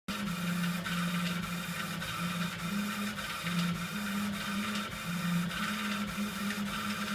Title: rattle noise from epilog laser machine